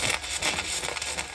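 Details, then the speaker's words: Arccaptain MIG 145P flux-core welder on 220 V, flat lap and T-joints: crackling arc surges, bucks and stutters instead of a steady sizzle because the gun is held too far off, giving an erratic arc from too much wire stickout. "Something kept like bucking and like. Yes, because you're too far away. Okay, the wires are not. Is that why the wire's not? It's getting funky because you're too far away."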